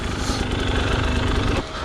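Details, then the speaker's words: 2020 KTM 300 XC-W TPI two-stroke idles steadily with the radiator fan whirring after it was worked hard through vines, then the fan cuts off. Normal temperature-controlled fan; the rider thinks the setpoint is 135. "Once it hits a certain temperature, it's gonna cool until it gets it right down to acceptable."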